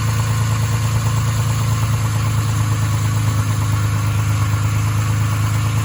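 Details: Nissan 350Z 3.5 VQ V6 at idle: a steady idle with a dull, fairly regular knock underneath at about three a second; rod knock.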